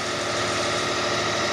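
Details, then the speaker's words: 2005 Kia Sedona 3.5L right after a cold start at high idle, following a new timing belt, tensioners, idler, water pump and harmonic balancer, accessory belts off: steady, smooth, no ticking or knocking; a noise appears later once warm. "No ticking, no knocking, no nothing. Not a thing. Just running smooth."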